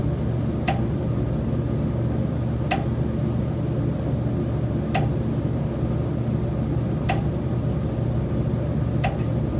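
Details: Rented Chicago condo: single sharp knocks about every two seconds over a low hum of building machinery. The tenant says the noise comes from common elements; source not identified.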